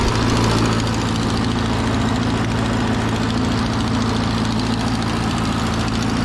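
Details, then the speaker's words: 80+ year old Ford 9N tractor idling: about four puffs a second, rough uneven sharp chuffing from exhaust leak at rear cylinder four; nut shells blowing out of exhaust, antifreeze smell, possible head gasket issue. "there's also a pretty good exhaust leak on the back cylinder number four"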